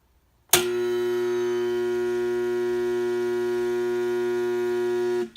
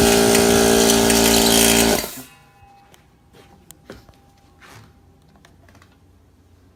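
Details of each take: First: Home air compressor that trips the house circuit breaker: loud steady mains buzz that never spins up, cutting out after about five seconds; owner suspects start or run capacitor, motor locked. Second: Air compressor that had made a noise and tripped the circuit breaker, after a shaft was punched back about 1/8 to 3/16 inch: starts, runs with a steady strong hum, pauses, restarts smoothly; normal running after the fix.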